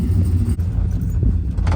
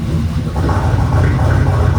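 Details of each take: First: Truck with replacement engine from another truck fitted with stage 3 cam after previous rod knock, driving on the road: deep steady V8 rumble, even beat, no ticks or misses; about 60 psi oil pressure; running normally. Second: V8 truck with a replacement engine and stage 3 cam, first start after install with exhaust cutout closed; deep lumpy rumble with irregular stumble; misfire.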